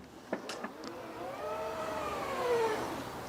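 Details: Tesla Model Y power liftgate opening to its newly saved lower height: a couple of latch clicks, then a smooth motor whine rising and easing off; normal operation.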